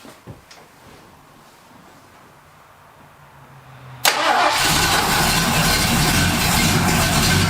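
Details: 1978 Ford Fairmont Futura after GT40P head swap, Holley two-barrel carburetor, fuel poured down the vent to start: quiet cranking, then an abrupt catch into a strong, steady, even idle; vacuum reads in the green, electric choke may need adjusting.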